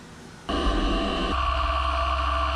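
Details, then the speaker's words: Light end mill chatter: vibrating buzz over a steady whine on a brand-new machine, cutting a full-depth flat with a small end mill on a part thinly connected to the bar stock after machining down to a cone tip. "You can hear it's vibrating a little bit. Now that part has the smallest of connection to the bar stock down there, along with being a pretty small end mill is the reason you hear that vibration, but in all honesty, that was a full depth."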